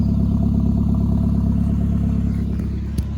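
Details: VW Mk4 1.8T K04 after cracked-head repair for random misfire and low compression, with NGK BKR7E copper plugs: steady even running with smooth low exhaust note, no misses or knocks; healthy.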